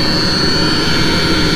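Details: Mercedes Sprinter van, heater burner: steady even jet-like roar with a thin high whistle, no knocking or misfiring; burner running normally.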